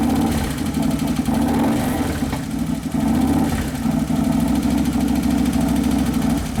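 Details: 2011 Harley-Davidson Road Glide (FLT) Twin Cam after motor repair: steady, even V-twin idle with no knocking or ticking, settling during its first heat cycle after sounding lean earlier.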